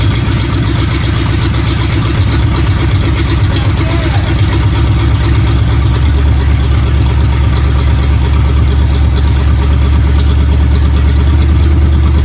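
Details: Freshly rebuilt Ford flathead V8, first start on fuel poured into the intake: steady even low rumble, no knocks or stumbles, runs until the fuel is used up. Normal running.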